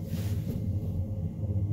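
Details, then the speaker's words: Homemade wind turbine on a skoolie bus, driving the generator through gears and two chains, in light wind of about 6–8 mph. The phone rests against the middle of the bus. A low, steady droning rumble with faint flutter carries through the bus structure. "you can hear that all through the bus I think you would probably get used to it after a little while and it wouldn't be that bad"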